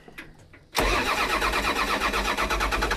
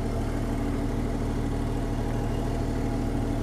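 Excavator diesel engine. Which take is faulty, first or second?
first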